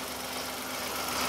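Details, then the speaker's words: 2015 Hyundai i10 1.0L at idle: a fast, even mechanical chatter and "shush"/whirr that has worsened over time and persists with the belt removed. A stretched original timing chain is suspected, not confirmed. "yeah it's got worse actually when you first could hear it you you sworn that was a belt so that noise now it does sound mechanical"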